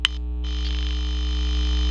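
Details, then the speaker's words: Intelbras Modulare/Conecta PBX with no extension dial tone, terminal 1 lifted off the board, powered: steady low hum and even hiss on the extension, no tone; the matrix is suspected of injecting the noise, unconfirmed. "Só um chiado vindo da matriz, ó, tá vendo? Porque agora ele está desligado da placa. Então é como se a matriz estivesse jogando esse ruído em cima do ramal."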